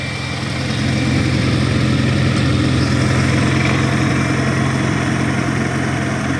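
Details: 1953 Farmall Cub tractor idling after refilling low hydraulic fluid (about 40 oz NAPA tractor hydraulic transmission fluid): steady even low idle, regular beat, earlier high-pitched squeal gone; normal idle.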